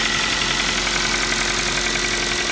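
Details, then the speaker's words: Kia Rio 4 (new) with 1.6 engine at steady idle, fast light metallic knocking that doesn't go away; owner attributes it to piston slap, the same sound as on the Kia Rio 3. Knock at idle, cause unconfirmed. "старый знакомый звук. Звук поршней Kia Rio 3. А у нас Kia Rio 4. Все осталось."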